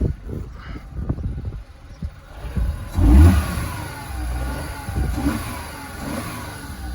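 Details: VW Polo 9N with a newly installed aftermarket performance air filter. Repeated throttle blips rise and fall cleanly with a deeper induction growl and no misfires or rattles. Normal revving.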